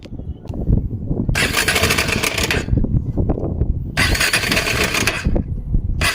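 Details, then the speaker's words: KTM Adventure 250 engine before repair, brought in for engine noise: loud clattering rattle from the top end swelling with throttle blips; head cover opened, timing chain found slack, lifting by hand; timing chain rattle. "Sound అయితే విన్నారుగా friends, మనకి ఇంజన్లోంచి sound అయితే విపరీతంగా అయితే వస్తుంది."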